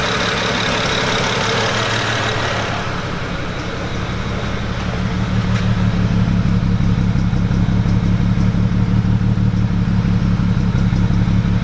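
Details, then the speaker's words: BMW E90 335i N54 petrol inline-six at idle with an uneven, lumpy stumble about three times a second: cylinder misfire, cylinder not yet identified, with burning oil smell and valve cover gasket leak. "yeah it's got that little bit of stumble I don't know how much it's coming over the camera good"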